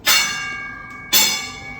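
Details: ProForm HIIT Trainer pedalled after a period of use: two sharp metallic clangs about a second apart, each ringing like a struck bell, grinding/bell noise from flywheel rubbing on casing; second repair.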